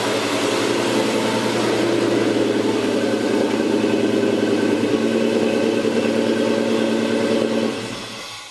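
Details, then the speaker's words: 1993 Ford Mustang GT with Coyote Aluminator swap, first self-sustained run in over 7 years, after PCV line install: strong even V8 drone with loud intake air sucking rush, steady about eight seconds then shut down; sounds healthy. "That's air. That's just the air sucking, man. Oh my gosh, he sounds pretty massive."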